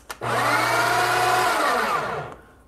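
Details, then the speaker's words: Breville Barista Express built-in grinder purging a new bag of beans at about grind setting 20; brief run with a thin, high whine over the motor that sags in pitch as it spins down; cause unknown. "this perch it sounds really really weird isn't it did you hear that that wing whining sound"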